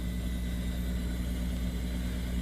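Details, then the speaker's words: HVAC zone system from a 2011 install with an ICM VFD blower, just called for cooling after sitting offline (coil 78°F, return 79°F). Steady low hum with a soft hiss of refrigerant moving in the piping, fan on low speed, and pressures starting to change. Normal cooling startup. "let me check my thermostat mersin just came on for cooling you can hear the refrigerant in the piping you see the pressures start to change"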